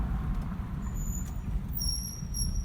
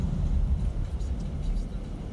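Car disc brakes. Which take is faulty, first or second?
first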